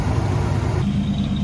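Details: 1996 Ford Econoline E150 club wagon van, 5.8 V8, running after alternator replacement (old one failed, van wouldn't start), Gates belt; smooth, steady idle, low even rumble, no belt squeal or chirp, normal idle.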